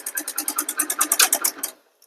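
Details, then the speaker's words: Hero Splendor Plus single, microphone held near the engine: quick, even metallic ticking, about eight taps a second, over light running, with low pickup and no smoke; exhaust valve tappet adjuster screw nut keeps loosening. "ஆனா noise மட்டும் பயங்கரமா இருக்கும். ஓட்டுறதுக்கே நம்மளுக்கு தோணாது."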